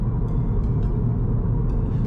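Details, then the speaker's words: 2020 Subaru WRX after the passenger door panel was removed and treated with sound-deadening foam and felt tape for ticking and speaker-bass resonance: only steady low road rumble at cruise, with no buzzing or ticking from the door. The cabin is quiet. "超安静的啦，这样很棒啊！这种安静的感觉真好啊 ，very good。"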